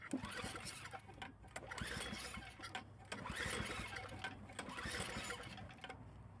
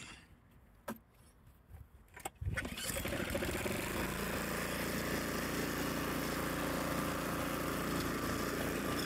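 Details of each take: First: Snowblower refilled with oil and gas after being drained, spark plug wire reconnected: uneven pull-start cranking, never fires; suspected dirty carburetor or blocked fuel line. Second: Craftsman or 2021 Troy-Bilt snowblower, repaired after not starting, warm after sitting 5–10 minutes: pulls over, fires and settles into a steady even small-engine drone with no misses or knocks; normal running.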